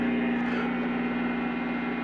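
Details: Chinese-made Hofner violin hollow body electric guitar through an amp, not played, one small LED lamp switched on nearby: constant low steady hum with a buzzy edge; poorly shielded guitar picking up LED lamp interference.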